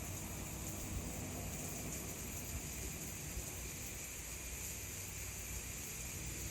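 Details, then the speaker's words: New electric pressure canner with pint jars, coming up to pressure before its automatic 5-minute timer starts: quiet steady hiss of steam from the vent, no sputter or whistle; normal steam venting. "You might be able to see a little bit pressure escaping again. I can definitely hear it here."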